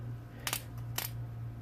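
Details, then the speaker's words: Derby-style van being revived, jumper wire touched to the terminal: three sharp crackling snaps over a low steady hum. The spark shows the feed is live. "you can see it sparking, so you know it's live."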